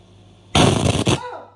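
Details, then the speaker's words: 2006 LG 37-inch plasma TV, model 37LC2D, at switch-on, camera very close: sudden loud crackling burst about half a second through the TV speakers, then fading; owner also reports buzzing, whining and glitches, cause unknown. "This is my possession Thunderbolt LG Plasma T3 while turning on like a thunder sounds. Crackling."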